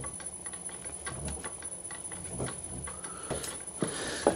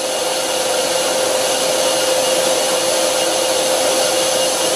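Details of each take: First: Lathe driven by a VFD motor via a V-belt on a re-machined pulley, run at low speed: steady ticking, thumping beat as motor vibration grows more pronounced with lower speed and the belt vibrates up and down. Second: Hundred-year-old bench lathe on a VFD at 20 Hz taking a very light facing cut on a disc brake rotor after torque compensation testing; steady even whirr, faint rumble, smooth cut.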